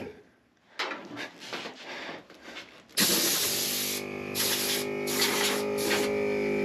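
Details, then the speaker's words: Cheap AliExpress ARB-copy onboard air compressor installed on a 1991 Ford Bronco: steady buzzing hum running evenly under bursts of air hiss, tank pressure dropping as air is used; compressor working normally. "you can hear it start to lose air pressure a little bit. Oh yeah, that works good."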